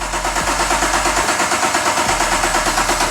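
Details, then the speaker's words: BMW 635CSi E24 with a 6.2L Gen V LT1 swap and manual clutch, first start, fuel pressure on: even cranking at about six pulses a second, no firing. Crank no start; pressing the clutch pedal in then let it start. "nothing yet all right let's uh try other things i guess okay maybe the clutch pedal needs to be pressed in"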